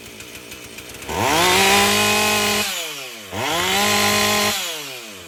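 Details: Husqvarna 450 two-stroke chainsaw after rebuild, NGK plug swapped for Hipa plug, top cover off: two clean rev-ups holding steady without stumbling, falling smoothly back to idle; runs properly.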